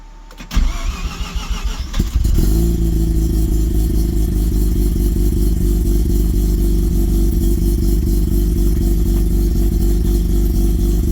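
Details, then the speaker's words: Car with relocated Haltech ignition, rewired, radiator and fan moved, coolant system not yet bled, first crank after wiring: about two seconds of cranking, then fires into steady even idle with no misses; normal start and idle. "Well, the good news is, I guess I got my wiring right."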